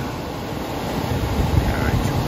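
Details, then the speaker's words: York air handler blower motor, AC system had frozen, running again on high speed right after its open run capacitor was replaced: steady, low, even whooshing rumble with no buzz, squeal or rattle, normal blower operation. "let's turn it on wait a split second and sure enough she fires up"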